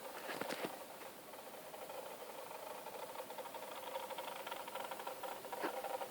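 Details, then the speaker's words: Meade LX90 telescope, drive slewing: faint dry scratching and rustling patter, seemingly from several parts of the scope; abnormal scratchy drive noise, cause unknown. "this is just a short video to illustrate the sound of my LX 90 is making I got it back from me today and I don't remember making this particular sound"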